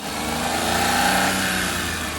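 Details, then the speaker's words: Maruti Alto 800 just after its first service, engine revved and released at the service centre: steady hum with a thin extra whining noise; source unknown, cause not confirmed. "ये जो ये extra आवाज आ रही है कुछ, छोड़ दे एक बार तेज देके छोड़िए एकदम। हाँ ये देखिए, ये जो एक्स्ट्रा आवाज आई ना, ये इससे बहुत ज्यादा मतलब दिमाग को।"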